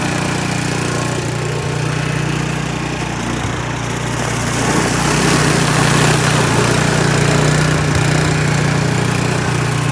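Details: Troy-Bilt snow blower small single-cylinder engine, which would not start and had an animal nest inside, running after the repair once primed: steady even buzz with no misses or surging; normal running.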